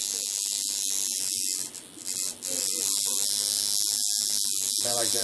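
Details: Coil tattoo machine with one big rubber band double-wrapped to avoid bouncy lines, adjusted by its sound. A high, even electric buzz cuts in and out between short runs. Normal, well-adjusted machine.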